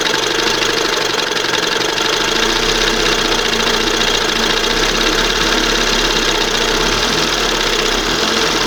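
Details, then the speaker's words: 1971 Johnson 20 hp two-stroke outboard with replacement carburetor after OMC primer pump failed: busy buzzing note holds steady and won't settle to slow idle while adjusting carb; high idle speed. "I'm going to open it up just a hair more. It's got to idle down there. I don't understand this thing."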